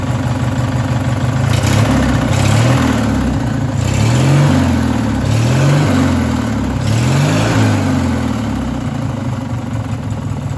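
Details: Race mower small single revving unevenly with a fast, loose knock under each rev; owner suspects rod knock and fears it may blow up, cause unconfirmed.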